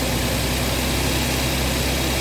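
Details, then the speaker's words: Audi Q7 3.0 TFSI turbo petrol, 333 hp, 150,000 km, cold start after sitting overnight: engine starts without trouble and settles into an even, quiet idle with a steady low hum, no knocks or misses; normal cold idle. "Холодний запуск. Мотор холодний після ночі. Питань нема. [музика] Завівся без питань. Працює рівненько,"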